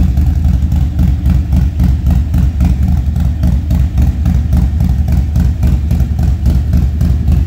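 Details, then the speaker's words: Harley Street Glide ST with 135 build, stone-cold start after new lifters and camshaft fixed an engine noise: clean revs, smooth deep even exhaust beat, no top-end ticking; normal revving. "So, that's, you know, the bike runs beautifully now. It's quiet. It's great."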